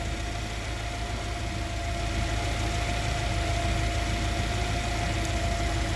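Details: Yale GLC050 forklift, Mazda F2 throttle-body injected engine, with lean-at-idle code 522, O2 sensor switching at good frequency: smooth even low idle with steady mid hum, no misses; normal idle.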